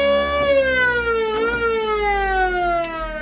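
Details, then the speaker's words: Original unrestored 1954 Ford F-800 fire truck, ex-Springfield Fire Department unit one, key turned on: strong wailing siren tone slowly winding down in pitch, smooth and steady with no rattle; normal siren operation. "So, we'll turn the key on. There's your siren."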